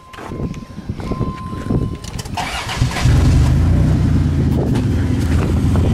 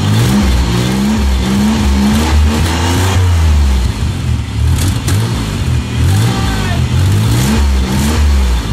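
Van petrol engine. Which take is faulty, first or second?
first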